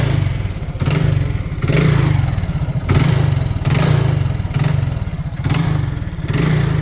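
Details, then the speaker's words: Used motorcycle blipped about once a second, each rev carrying a rough, clattery edge from one area of the engine. The seller reports occasional heavy smoke, and engine work is expected. "സംഭവം ഇങ്ങനെ raise ആക്കുമ്പോൾ ദേ ഈ ഭാഗത്തുനിന്ന് ഒരു ചെറിയൊരു sound വ്യത്യാസം കാണുന്നുണ്ട്"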